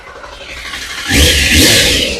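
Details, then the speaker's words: Triumph Sprint 955i that sat for years, after fuel pump delivery was restored: quiet, then the engine catches and revs up cleanly with a steady rising note. It runs for the first time; plugs, oil and filters still to be replaced. Normal running. "So, it runs. I don't know how these bikes actually sound when they're running."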